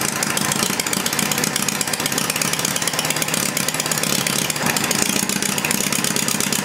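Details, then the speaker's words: Homemade inline four-cylinder Briggs-based engine warmed up, heads measured at about 130–150°: crisp, even firing at a steady idle with no knocks or misses. Normal idle. "not bad not bad at all again you know what I'm going to shut it down Mike"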